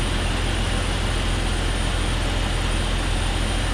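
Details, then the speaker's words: 2001 Jeep Cherokee XJ 4.0L at idle: loud steady rush of air with a thin high whistle; covering a cracked vacuum line with a thumb stopped the hiss; vacuum leak. "I stuck my thumb right there and it made a it stopped the noise so you could hear it hissing maybe so that's definitely my issue right there"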